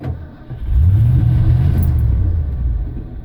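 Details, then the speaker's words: 1989 Ford F-150 5.0 V8 with an intermittent no-start that became a total no-start: catches with a low uneven rumble, picks up briefly with a little throttle or key held, then sags and fades; won't stay running, cause unknown. "so it kind of starts but it won't keep running now when I put my foot in the gas a little bit it runs a little bit more and I can I can hold the key on it kind of runs"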